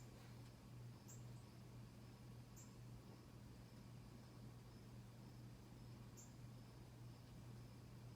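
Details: 1991 Casablanca Delta II ceiling fan running on high: quiet steady low hum, no rattle or wobble, faint chirps in background; running smoothly.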